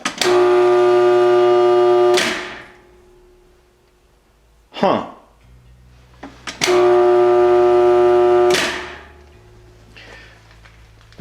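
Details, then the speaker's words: Shop air compressor that is too cold to crank over: two loud, steady buzzing hums of about two seconds each, with no components moving and no speed build-up. The motor is stalled. "an air compressor is not supposed to make a loud buzzing noise like that if there's no components moving that's generally a bad sign"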